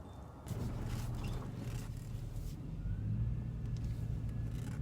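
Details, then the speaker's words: Power steering after about 20 minutes of bleeding air without a bleeder valve: quiet low engine hum with no pump whine or groan; the air-caused noise is fixed. "sounds good nice and quiet on the steering the air bubbles are out and the noisy power steering has been taken care of"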